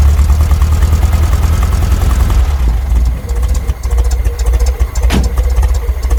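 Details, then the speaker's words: VW Brasília air-cooled engine after conversion from points to a Chinese Hall-sensor electronic ignition distributor: catches and idles low near 600 rpm, beat wavering and dipping unevenly, cold, ignition timing still to be set; wind on the microphone. "the car started I had to turn it around turning around until it reached a point and it stayed on I tried to adjust the setting more or less"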